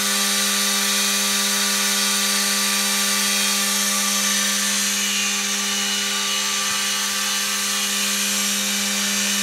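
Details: Prototype 2x72 belt sander, motor isolated on rubber mounts and the unit set on a towel to cut resonance, running at about half speed: smooth even motor hum with a light belt hiss, much quieter; normal running.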